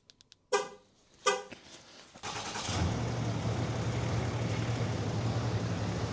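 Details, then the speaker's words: Two short chirps, then a Cummins diesel pickup fires up and settles into a steady, smooth idle. It had been idling rough on cold starts at -20 to -30°C, and this is just after a fuel filter replacement. "Look at that idle. Couldn't be any smoother."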